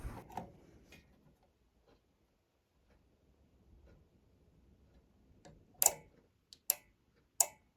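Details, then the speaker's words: NX Audio MT1601 power amplifier, channel A had no output, after replacing the defective output relay: three sharp, crisp clicks about a second apart in a quiet room; normal relay clicking. "Now you can hear the sound of a relay. Let's check it again, this old relay."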